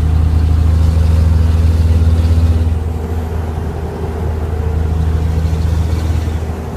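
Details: 2004 Cummins diesel idling: deep rumble with rough puffing pulse from exhaust leak at turbo downpipe, caused by misaligned V-band flange.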